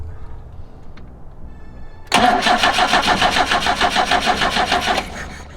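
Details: BMW 2002 during carburettor and timing setup: regular cranking beats around 200 a minute for three seconds, no sign of catching; turns over but won't fire, lots of fuel in the system. Cause suspected, not confirmed.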